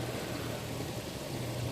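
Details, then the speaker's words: Carbureted petrol Kijang engine idling smoothly with a low, even hum and no misses, after the air adjustment was set for a stable, smooth sound; an exhaust leak was suspected earlier. "Kemudian kita kecilkan volumenya setelah stabil atau terdengar halus . Suara mesin ini sangat halus, lho ."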